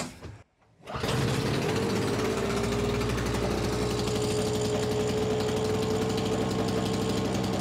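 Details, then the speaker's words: Simplicity 520 single-stage snowblower (5 hp, 20 in), second start on choke: engine catches after a pull, then drones with a sagging note and uneven beat, and slows under auger load when it should not; owner suspects the carburetor, with a clogged main jet as the cause. "seems like maybe we got to go in the carburetor a little bit cuz you put a load on it and it just slows down and it it definitely should not do that"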